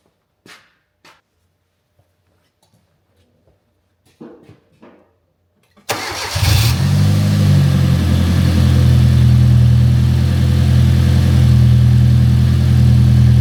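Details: Fiat Punto GT Turbo, first start after a long restoration, just after fitting new fuel injectors: quiet clicks, then the engine catches and settles to a steady idle with a faint uneven pulse; lumpy idle, cause not confirmed.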